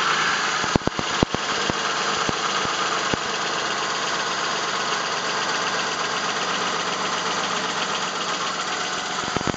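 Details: 1999 Plymouth Voyager 3.0 at steady idle: light irregular tapping with a few sharper knocks early on, first thought rod knock or valve tap; isolated with a mechanic's stethoscope to a cracked flywheel.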